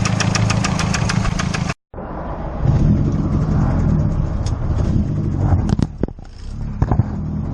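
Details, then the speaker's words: Freshly built racecar engine, no tune, after 600 miles: rough idle with a deep, uneven knock underneath and sharp raps on revving; rod knock, still drivable home. "So I blew it up. I got rod knocked. But I can still drive it home."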